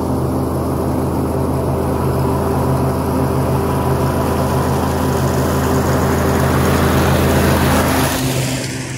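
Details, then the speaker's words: Kubota T1600 two-cylinder diesel mower after deck rebuild and spindle greasing: steady, even engine drone with a smooth deck whir under load, no grinding or bearing rumble, easing off at the end; running healthy. "the deck sounds good now no awful grinding noises and bearing noises none of that so it's in good shape"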